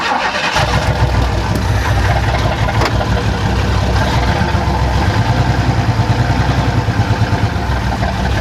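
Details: 1994 Chevrolet Astro van with a remanufactured engine, first start after a new radiator install, water instead of coolant, long-sitting, known loose vacuum line: starter catches within half a second, strong even low rumble with steady firing; normal start and idle.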